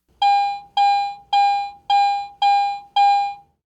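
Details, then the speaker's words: Garrett AT Pro metal detector in standard mode: six clear, ringing high beeps about half a second apart, the high-tone response to a high-conductivity target. "a target based on its metal type and its conductivity is simply reported by one of three different tones a low tone mid tone or a high tone"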